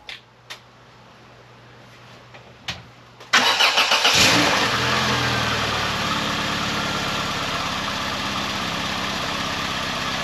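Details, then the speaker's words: 1994 Volvo 480 2.0 ES with new front downpipe, new catalytic converter, new bracket and exhaust paste applied. Cranks, catches and idles with a quick sharp ticking puff over the exhaust note; the exhaust leak is still blowing. "I think very soon I'm going to give up with this exhaust I really cannot stop it"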